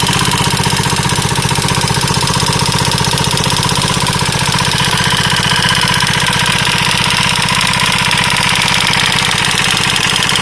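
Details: KTM 640 LC4 single-cylinder at idle: sharp metallic knock about four per second in time with the engine; abnormal knock, owner unsure whether top end or bottom end.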